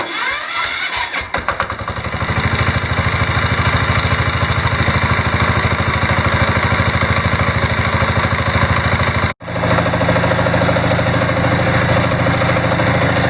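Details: Diesel Sears mudding tractor with newly installed alternator, battery at about 12.4 volts: glow-plug crank catches within a couple of seconds, then steady even diesel clatter at idle with no stumble; healthy start, charging to about 13.1 volts.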